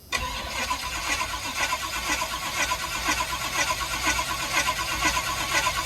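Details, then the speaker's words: 1984 Pontiac Firebird, cold start in snow, mechanical fuel pump feeding 20 feet of fuel hose; steady cranking chug about two beats a second without catching while the line primes; extended cranking before start. "So I have to crank it a little bit and get it. So it's going to take a little bit of a while to get that primed up."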